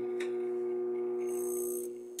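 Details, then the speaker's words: Microwave oven under repair: steady electrical hum with a pure tone and no air rush; the cooling fan started briefly with the door open but didn't stay on. Owner suspects a faulty switch or board, unconfirmed. "ó o barulho muda tá tá funcionando quase tudo mas não acionou o ventilador aqui ó com a porta aberta ele até acionou ventilador só que não permaneceu"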